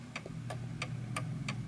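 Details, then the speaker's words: 1920s 8-day Napoleon hat antique mantle clock after its beat was calibrated to the middle. Crisp ticks about three per second, tick and tock evenly spaced over a low hum: the clock is in beat. "So as you can hear, the tick and the tock is evenly spaced. Tick tock, perfect."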